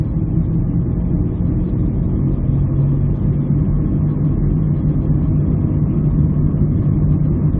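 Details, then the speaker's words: 2001-2002 Ford Escape driven at about 30 mph. A constant low hum with a rough grinding edge comes from a badly worn press-fit front wheel bearing. The noise changes on left versus right turns, which helps identify the side. Heard before bearing replacement. "Hear that humming noise, that grinding noise? That is different from a tire because a tire makes more of a wah, wah, wah, wah, wah type noise as the bad section of the tire contacts the pavement."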